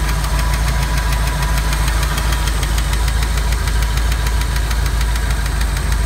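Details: Ford 5.0 302 V8 in a Miata, cold start the morning after overheating on the turnpike: sharp, rapid ticking from under the driver-side valve cover over a rough idle; valvetrain tick that went away once warm, though it still ran slightly rough.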